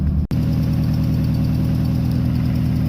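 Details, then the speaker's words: RX-7 with SR20VET swap, idling in neutral after letting go near 7,500 rpm redline: rough, lumpy idle with uneven stumble, one cylinder plainly not firing; dead cylinder misfire alongside rod knock, engine blown, to be swapped. "don't know when I lost you, but you can clearly hear it has a missing cylinder"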